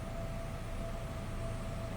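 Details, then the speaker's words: 1999 Chevrolet Cavalier Z24 convertible, 39,953 miles, heard from the rear at the stock exhaust: a quiet, even idle burble with a faint steady tone and no ticking or popping; normal. "All right, slip around to the back so you can wh so you can hear this run. Of course, nothing crazy with that exhaust."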